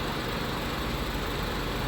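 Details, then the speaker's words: 2008 Nissan Sentra 2.0L four-cylinder with a new battery and freshly changed oil, idling warm, heard under the hood: a steady, even hum with no knocks, ticks or rattles; normal, healthy idle. "it's running very clean as you can hear no knocking no abnormal noises"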